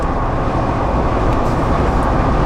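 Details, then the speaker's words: Jeep JL Wrangler with 5.13 gears at about 75 mph, after its poorly balanced front and rear driveshafts were fixed: steady low road rumble with no oscillating buzz, hum or shudder; normal driveline at highway speed. "the 5 13 gears it was really giving us that buzz 75 I don't hear anything I don't feel"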